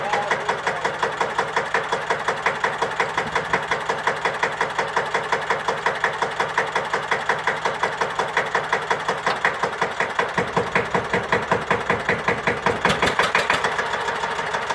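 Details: Deutz F1L612 tractor, 11 PS, 1954, air-cooled single-cylinder diesel, cold start after overhaul and repair for TÜV inspection: slow, even thumping with steady rhythm, no extra knocks or rattles; healthy idle.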